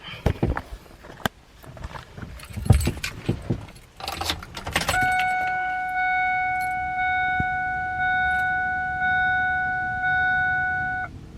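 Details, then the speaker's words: Slow cranking on a 1999 Ford 7.3 Powerstroke diesel with 207,000 miles and batteries about 2.5 years old. The starter whines steadily and the engine turns over sluggishly, about one labored pulse per second. The owner suspects the starter, otherwise the battery; a replacement is planned. "So as you can see, it's cranking over slow, and I have a feeling that it's a starter. It might not be, but we are gonna find out today."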